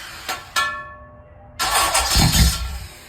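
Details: Engine start attempt: a sharp crack, then a loud second-long cough and sputter that dies away without catching; failed start, needs fixing.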